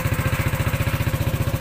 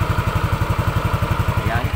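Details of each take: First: Yamaha NMAX 155 scooter engine idling, owner's complaint of a noisy engine: steady pulse with busy clattery top end, heard from the right side too; valvetrain noise from worn rocker arm roller and cam lobe. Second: Yamaha NMAX 155, remapped ECU, after repair of noisy engine: even, steady idle with regular firing pulses, no ticking or clatter; quiet, healthy top end.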